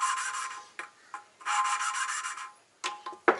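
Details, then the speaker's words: Hand lapping valves on a forged RB25DET head for an R32 GTST Skyline, finer second pass with watered-down compound: short, soft, fine-grained back-and-forth rasping strokes with pauses, nearly silent, showing the valve and seat are smooth and fully ground. "Yeah, that's definitely much finer grinding compound when it's wet like that. And you can hear how fine that is now. Pretty much silent, so that tells me it's all smooth and all together and all ground."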